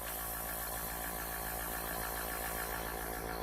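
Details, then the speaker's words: Small quiet airbrush air compressor running on the bench: steady, even motor hum with a constant buzz, no knocking or rattle; running normally. "again I'm doing this with the air compressor running can you hear it"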